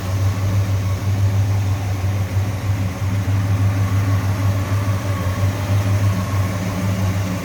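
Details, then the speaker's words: 1966 Ford Fairlane 500 GT convertible, 390 V8 with four-barrel carburetor and four-speed manual: even, low, burbling idle holding steady with no knocks, ticks or misses; a smooth, healthy-running engine. "good a little strange noise with just a smooth running engine"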